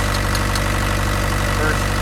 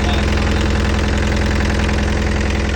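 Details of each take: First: Mini excavator diesel engine after fuel filters were changed and air was bled from the fuel lines, having been choking out before; low, even thump with a smooth, unbroken rhythm and no missing beats; normal idle. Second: Mini excavator diesel after fuel filter change, air being bled from fuel lines with the hand pump: chugs steadily about five seconds then fades and dies, won't run with air in lines; diesel stalling from air in fuel lines.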